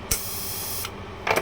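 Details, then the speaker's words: TIG welder whose shielding gas wouldn't stop flowing, after replacing the gas solenoid valve: a sharp click, under a second of gas hiss that cuts off cleanly, then two short puffs; the valve now opens and closes properly. "What we did, only we just replace this solenoid valve to stop and flow the gas."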